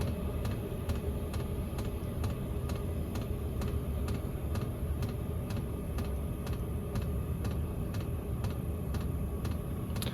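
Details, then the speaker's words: Chinese Webasto-style diesel air heater turned down to minimum setting 1, about 5 W, pump slowing because less diesel is needed: steady sharp ticks about twice a second over a low fan rumble; pump noise noted as its weak point; normal fuel pump ticking. "Ouais, c'est le seul un peu point faible, c'est le bruit de la pompe un peu."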